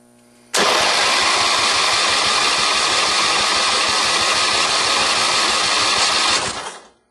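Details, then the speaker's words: John Deere 111 hydrostatic lawn tractor during a compression test: the starter spins the engine at a steady, even pace with no dragging strokes; it reads about 90 psi, similar to a rebuilt 11 hp engine, so compression is healthy. "It's sitting right at 90 pounds. If memory serves me right, that 11 horse that I just 11 horse I just rebuilt is right around 90 or a little bit above 90. So I'm satisfied with that."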